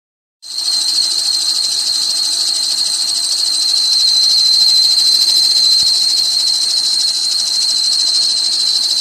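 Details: 1999 Dodge Caravan accessory drive pulley squeal: steady, piercing high whistle holding one pitch over the engine, with a faint fast chirp in it.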